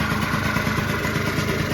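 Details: 1989 Yamaha Zuma 50cc two-stroke Prebug moped on first start, being built to 70cc, run on direct fuel without petcock or starting fluid: short burst of steady, even two-stroke idle burble with no stumbles.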